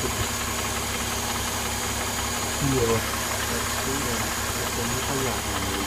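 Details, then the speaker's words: Mercedes M272 engine, hood open after cold start: quiet when cold, but once warm a faint, dry metallic rattle/rustle ticks under steady idle, seemingly from the left bank, diesel-like; cause not clear. "Сейчас, когда он прогреется, начнется этот шелест. Такой что-то типа тарабанит, такой металлический должен быть."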